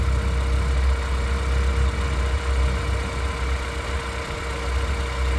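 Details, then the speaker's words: 2009 RenaultSport Twingo RS 133 petrol engine, misfiring despite new ignition coils, now idling with a steadier, even low rumble after leaving warm-up idle, clearly smoother than before; a faint rattle at start went away. "let's let this idle sounds like it's gone off uh warm up that's definitely idling better than it"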